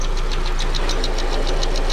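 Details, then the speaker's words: 2001 Ford Focus after engine rebuild and fuel pump replacement, idling: quick, even light tapping about seven a second, seemingly from the top of the engine; source unknown. "but dude that tapping sound sounds like it's from the top anyway"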